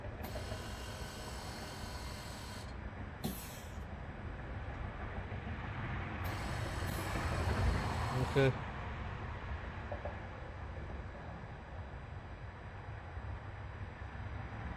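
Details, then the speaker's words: 2013 Toyota Camry Hybrid with ABS codes C1451, C1345 and C1368, during the ABS brake bleed procedure: faint hiss and a motor whirr that switches on and off over about 90 seconds. ABS pump cycling during the bleed. "it's about 90 minutes uh uh sorry 90 seconds a minute and a half and i hear the pump coming on and off i don't have any flashing yet"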